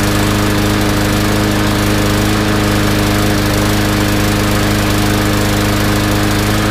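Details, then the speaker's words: Yard Machines mower after draining stale gas and cleaning the carb, still running rough: loud, uneven hunting beat instead of a smooth drone; white spark plug tip shows lean mixture, carb jet suspected undersized, to be cleaned or drilled. "look at how white the tip is that means it's burning quite lean so it definitely is uh starving a little bit for gas"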